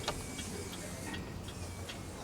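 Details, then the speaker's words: Porcelain clock mechanism after an overhaul and repair, pendulum just hung: crisp, even ticks about every third of a second with steady spacing and no stumble. It is ticking nicely and healthy. "So that's ticking nicely."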